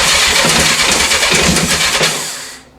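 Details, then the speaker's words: 1984 Honda CB700SC four-cylinder, first start attempt after fixing a no-spark fault and a stuck carb float, full choke, clutch in, fuel on: fast uneven cranking with weak catches that die away, little smoke from carbs; struggling to fire. "choke is on clutch is depressed fuel's on key on run on here we go little smoke out of the carbs"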